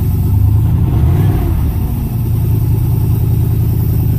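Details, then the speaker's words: 1981 Pontiac Trans Am 4.9 L 301 Turbo V8 just fitted with FiTech EFI: revs then settles into a steady but slightly fast idle; idle running a bit high, owner thinks lowering the switch setting will fix it. "yeah look at that running a bit high on idle I think that's just a matter of dropping the switch down"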